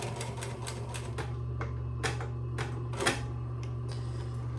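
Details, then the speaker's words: Singer 112W125 industrial sewing machine after a bobbin tension tune-up, sewing through about 6–8 layers: crisp, even needle ticks at about four to five per second over a low motor hum, with no strain. Normal sewing under load. "Probably 8 layers, but let's just see what happens. Go through it with ease."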